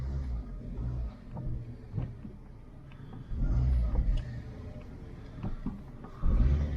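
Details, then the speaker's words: Bravo with a 1.2 engine at 34,000 miles, aircon on during a test drive after a loose battery terminal was fixed: it picks up and drops back smoothly through a few blips with no knocks or rattles, revving cleanly. "This is revving cleanly."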